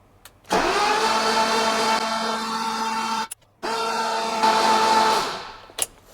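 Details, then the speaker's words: Rebuilt engine in a BMW E28 M5, first crank before fire-up with the spark plugs out and the crank sensors disconnected so it can't fire: two bursts of steady, even starter whirring with no compression beats. Free, healthy cranking; oil pressure light went out. "so I'll disconnect the crank sensors so it won't dry and fire see if we've got any life"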